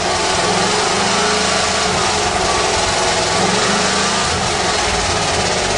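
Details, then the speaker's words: 1935 Mercedes stored 7 years, running on a fresh battery, smoky and unable to idle yet. Held on throttle it beats rough and uneven, sounding like only four or five cylinders; the spark plugs are suspected. Engine misfire. "that's all gas it sounds like it's only running on about four or five cylinders"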